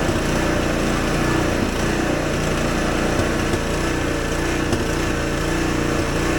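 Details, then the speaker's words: Husqvarna ST124 24-inch snowblower, 212cc engine: loud single-cylinder running with surging and faint irregular exhaust pops; owner says factory sets it very lean. "And I'm going to start this engine up, and you're going to notice that there's going to be some surging. Absolutely ridiculous. And there's some popping sounds coming out of it."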